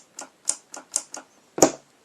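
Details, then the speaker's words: Chevy Blazer/GMC Jimmy floor shifter wired for non-factory use, ignition on, brake pedal pushed: crisp light clicks, about six in two seconds, then a heavier clack as lever reaches park; interlock relay and actuator switching normally. "Go to park. You can hear them both clicking."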